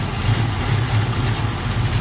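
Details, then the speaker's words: 1967 Ford Mustang, rebuilt 289 V8 with C4 automatic, fresh aluminum intake, dual exhaust, 51,385 miles: deep, even V8 burble at idle with a steady low pulse, no misses or knocks; normal healthy idle. "Sounds good. This baby wants to go."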